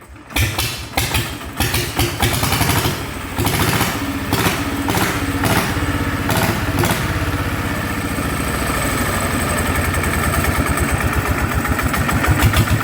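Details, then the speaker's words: Yanmar diesel engine on a small loader after repair, hard to start; catches after a few lumpy turns, revs then settles to an even idle with noticeable gear clatter on top: loud gear noise. "เฮ้ยรถแคมป์ซะด้วยแหมเสียงเฟืองดังหน่อยนะครับ"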